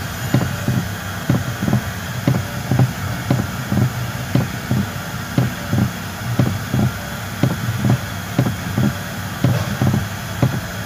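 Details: 2019 Toyota Rush: dull low clunks about once a second as the steering wheel is turned left and right; suspension checked fine, cause traced to a loose bolt and dry bushing in the steering column.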